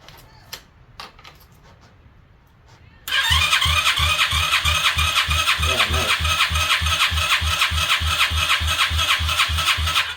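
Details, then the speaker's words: 2021 Kayo 90 pit bike engine cranking for a compression test after the valves were adjusted: a few clicks, then strong, even cranking with a solid beat on each compression. It now reaches 140 psi, up from 40, enough to run. "All right, that's much better. 140 lbs. That should be plenty to run."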